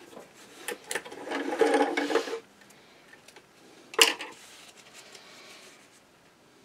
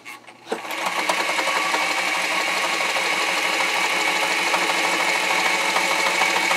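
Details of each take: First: Singer 237 sewing machine after a clean, lube and adjust service and a bobbin tension correction, stitching: short, light bursts with an even, free-running chatter and no binding; it runs smoothly. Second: Singer 237 sewing machine run dry before its clean, lube and adjust service: fast, clattery run with harsh metallic rattle and chatter, sounding nasty and needing oil.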